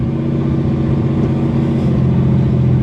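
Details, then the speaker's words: 1964 Chevrolet Corvair barn find on its first drive in years, engine cold: loud, steady, raspy low rumble at cold idle from exhaust leaks, much louder than a sound exhaust; owner says it quiets once warmed; exhaust leak. "But when it's cold like this, with those exhaust leaks, it is pretty loud."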